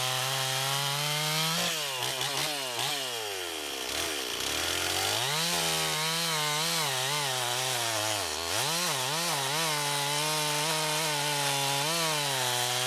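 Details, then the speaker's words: Stihl 026 two-stroke chainsaw after rebuild (carburetor rebuilt with Walbro K20-WAT kit), bar fitted, freshly sharpened chain, rakers set; sharp scream dips as chain bites wood and climbs back when free, pulling strong and clean. "might go ahead and throw a bar on here and uh see if we can get it in some wood and try that out"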